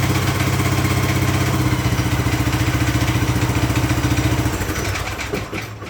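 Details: Craftsman LT2000 lawn tractor, unused since about 2013–2014, running briefly after an oil and filter change to recheck levels. Small single-cylinder engine thumps at a fast even beat with no knocking before winding down: normal running.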